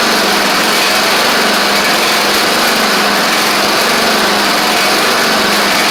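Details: Craftsman DYT4000 riding mower running and driving after a suspected faulty seat safety switch: steady buzzy small-engine drone with a slight wavering whir; owner suspects noisy pulleys, maybe needing WD40, unconfirmed.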